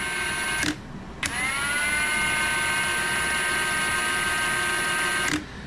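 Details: 2023 Ridgid 18V R86211 Octane impact wrench with an intermittent fault: it winds up to a steady whine and holds one modest pitch for about four seconds. It is stuck at slow speed regardless of the mode setting; cause unknown.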